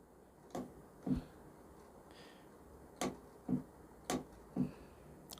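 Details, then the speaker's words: AC compressor clutch coil tested with wire disconnected and 12 volts jumped to it: sharp, clean clicks about a second apart as the coil pulls inward, normal clutch engagement. "And when you give it power, the clutch coil should activate and it should pull inward. You'll hear a clicking noise."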